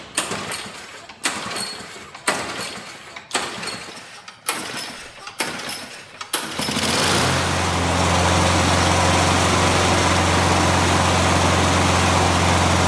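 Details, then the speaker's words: John Deere Briggs & Stratton push mower that wouldn't start, after carburetor bowl cleaning and draining: six pull-start tugs, then it catches and settles into a steady, even healthy run. "we see it start, so we know we're good to go."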